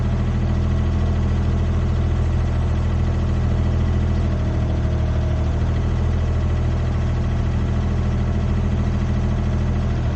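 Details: Used Komatsu PC10-3 mini excavator (hydraulic controls, thumb), hood down, running at low idle, just enough to keep the battery charged: steady, even low diesel thrum with no knocks, misses or rattles; normal low idle.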